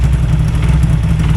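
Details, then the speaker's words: Yamaha VMax 700 triple snowmobile, bought new in 2001 and long dormant, cold-start revival: steady, deep burbling idle with an even beat and no knocks or misses, running cleanly. An idle adjustment may be needed. "let it go let it let it let it idle itself up sound good"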